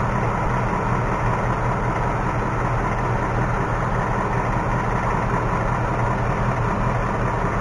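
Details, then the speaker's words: 2018 Mustang GT V8 idling, recorded underneath where tapping is quieter than outside; faint irregular light tapping, nothing at oil pan, worse passenger side, stethoscope on block hears taps in certain cylinders only; cause unconfirmed. "hey it when we were outside it was tapping away like unbelievably it's almost harder to hear down here"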